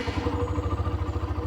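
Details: Hero Xtreme 125R single-cylinder bike, started in neutral to show gentle revving: steady, even putter at idle with no knocks or rattles; healthy small bike engine.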